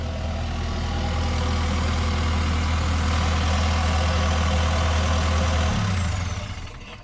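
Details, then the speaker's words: Takeuchi TL12V2 track loader diesel with new eBay replacement injectors, not programmed, checked with no leaks; a steady, even idle with a smooth low beat and no misses, then a clean shutdown. No idling issues, running healthy. "that thing sounds so awesome. Oh my gosh, I can't wait to use this."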